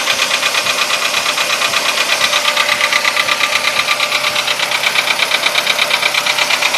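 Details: VW Polo Sedan engine at quiet idle, now 67,000 km: a hard, regular knock about three per second; it appeared faintly around 61–62,000 km and has sharply intensified; the internal knock is of unknown origin.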